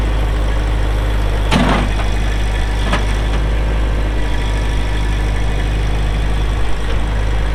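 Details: 2004 Kubota M6800 4WD pre-emissions diesel tractor, 1,181 hours: deep, even diesel rumble at a constant idle with no knocks or misses; healthy engine.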